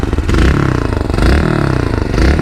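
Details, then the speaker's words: Yamaha YBR 125 single revving: quick throttle blips rise and fall cleanly, exhaust note even and fairly quiet, no knocks or rattles; normal revving. "Donc niveau sonorité, franchement c'est plus que raisonnable, hein. Moi, je suis habitué à du son."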